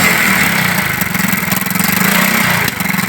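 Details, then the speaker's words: China Unique 70cc motorcycle idling, new plug already fitted; quick putter that stumbles and skips beats when the plug lead is brought close, runs fine when held away. Misfire from shorted spark plug, fixed with replacement plug. "ये देखा दोस्तों, ये मसला तो समझ आ गया इसका, यानी कि प्लग का, यानी कि ये दूर रखते हैं ना प्लग वाली वायर, फिर तो सही चलती है, और ये नज़दीक करते हैं तो मिसिंग करती है।"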